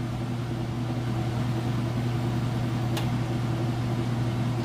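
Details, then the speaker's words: Whirlpool Ultra Care II top-load washer with a heavy jeans-and-towel load, final spin at full speed: a steady low drone with no off-balance thumping or odd noises. Spinning smoothly, normal. "Sounds great. This is where you'd look to see if it got off balance or started making any weird noises or anything like that."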